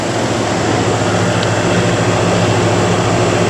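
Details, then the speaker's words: Central AC outdoor unit at startup in cooling mode, room at 80 degrees, after replacing the X13 ECM indoor fan control board: steady even compressor hum under constant condenser fan rush, no rattles or surges; normal condenser fan and compressor running. "i could hear it all right condenser fan is running i can hear the compressor is running"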